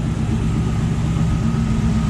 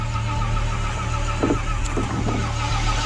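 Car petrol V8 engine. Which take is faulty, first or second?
second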